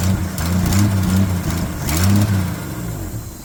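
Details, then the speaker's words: 1981 Jeep CJ7 sitting over 12 years, oil pressure confirmed; catches quickly, settles into an uneven low rumble with a couple of blips; starts after storage, exhaust leak noted near a junction. "wow wow that's awesome well there you have it she wants to live"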